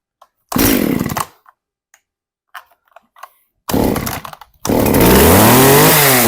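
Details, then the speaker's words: Very old John Deere 450V chainsaw, sat for years, started after teardown and repair with choke out on fast idle: a few pulls and sputters, then a steady high buzz climbing with throttle; no longer dripping fuel, running normally. "we'll turn it on pull the choke out put it on fast idle and once it kind of like pops we'll take the choke off and it's not dripping no more either so we got that fixed there"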